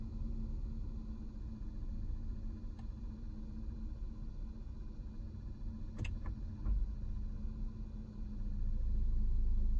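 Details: 2022 Honda Odyssey, bought new in 2021, now at 11k miles: an idling petrol engine with a faint, uneven tick about four times a second. The noise has been there since day one and is now louder, alternating between a knock and a tick.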